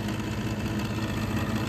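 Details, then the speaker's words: Trane rooftop gas unit just after gas valve replacement, first firing this year: steady motor hum with a rough, fluttering hum on top instead of a smooth whir; the draft inducer motor is running noisily. "All right, she's coming on now. That draft inducer kind of sounds like hell."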